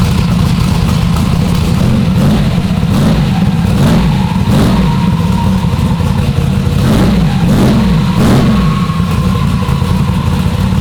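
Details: Turbo Chevy Nova V8 first start and revs after sitting since about 2019, rebuilt with opened-up oil clearances, an added accumulator and finished exhaust: deep lumpy burble, quick throttle blips rising and settling cleanly, healthy.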